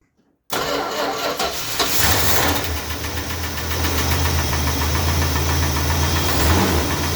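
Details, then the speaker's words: Freshly rebuilt Chrysler 440 V8 idling with a steady top-end tick, about four a second; a noisy hydraulic lifter or a worn cam lobe is suspected, not the crank or big end. "this now it sounds to me either a cam lobe has gone or it might be a lifter or both I think we better investigate"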